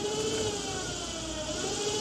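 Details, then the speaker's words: VW air-cooled 2332 stroker build, non-charging generator (the bus sputtered out after driving about half a mile), jumped from battery positive before polarizing: steady, clean electric whir as the generator spins smoothly as a motor; motoring normally. "okay now this supposedly should spin it and it is spinning it you can hear that so that's good"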